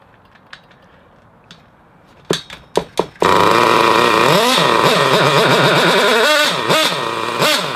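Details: Hobao Hyper Cage nitro buggy, with a broken pull start, glow-started: a few starter clicks, then a high buzzy scream surging and dipping unevenly under throttle. Not running cleanly; fuelling suspect.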